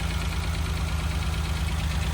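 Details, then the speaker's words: Renault Alpine GTA Turbo long stored, just started with starting fluid after stale fuel was drained: low, lumpy idle with an uneven thump and steady hiss. One injector was found not clipped in fully. Misfire from unplugged injector, before reconnection. "That injector wasn't... That injector was not plugged in all the way. Wow. Let's see if it runs smoother now."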